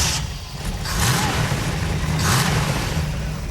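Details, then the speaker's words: 1969 Camaro with a new, never-run GM ZZ4 350 small block (Edelbrock RPM manifold, 600 CFM carb, block-hugger headers) on first fire-up: revs and settles smoothly with a solid, even exhaust note; no knocks or leaks. "it's alive underneath I found no leaks all the gauges are working and to top it off the engine sounds solid man that's some good news"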